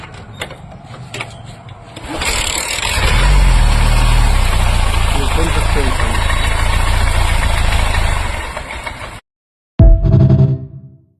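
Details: Bajaj Platina after timing chain work where the mechanic lost a washer, now refitted: engine catches after a couple of seconds and settles into a steady, even single-cylinder idle; runs normally.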